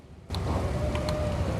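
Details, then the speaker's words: Mid-1990s Rover 400 Tourer, first start attempt after sitting about a year on a jump pack: quick electric whirr just over a second with light clicks at each end; central locking cycling normally, though the key fob has desynced before. "I just heard the central locking trigger. I did have a problem with this key fob desyncing."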